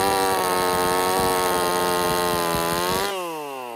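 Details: Husqvarna 50 Partner 5000 hybrid race chainsaw, first cuts after rebuild with modifications (tapered piston machined); high steady two-stroke scream bogs slightly under load in oversized wood for the bar, winds down cleanly off throttle; runs strong and healthy.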